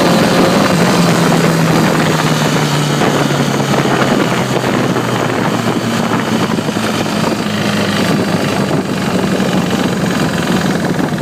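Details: 2009 Repsol at steady idle with a fast, light, even ticking over the engine hum. It persists after the cam chain tensioner (CCT) was replaced; cause unknown.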